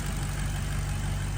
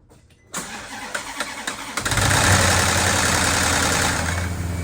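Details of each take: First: Maserati GranTurismo wet-sump V8 (2007–2009), after repairing camshaft variator end-caps that rattled on cold start: steady, deep, even burble with no rattle or knock; normal smooth idle as it is supposed to sound. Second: Maserati GranTurismo wet-sump V8 (2007–2009, some early 2010), cold start: cranks, fires and flares to fast idle with a rattly, clattering edge from the camshaft variator, attributed to oil feed loss at the variator end-caps; both banks rattle when cold.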